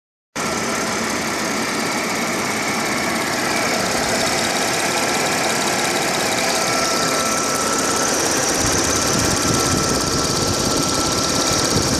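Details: Audi A6 4F 3.0 TFSI at idle while stationary, phone microphone above the engine: a fast, fairly even tick about three times a second over a steady idle. The source is not yet identified.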